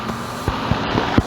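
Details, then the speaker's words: Home central AC outdoor condenser after replacing failed capacitor (fan previously not spinning, blowing hot air): steady low hum of compressor and fan right after start-up, no buzzing or clicking; fixed, running normally. "I'm gonna flip the AC switch here. It should turn on like right away. Boom."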